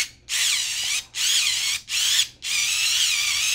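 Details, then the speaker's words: Electric screwdriver with a single 18650 cell, losing torque despite charging, stalled against fingers: four short high whines sagging in pitch; owner suspects a dying cell or a failed charging input diode. "it sounds like it's really really struggling there to uh just on my fingers"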